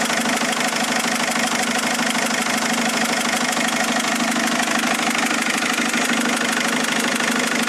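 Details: Mercedes A170 diesel after three injectors were replaced: a steady idle with a fairly regular knock, about 95 per minute, riding over the clatter. Engine knocking at idle, cause not pinned down.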